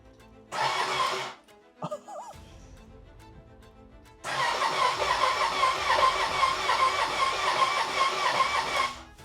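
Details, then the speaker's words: Badly wrecked Ducati Panigale being rebuilt, on its first start attempt in neutral. Two bursts of even starter whirring, the longer about five seconds, with no catch or firing. No spark is heard. It cranks but won't start. "Well, it turns over, so that's a good sign. It sounds good. It's just not turning o. It's just not I'm not hearing a spark or anything."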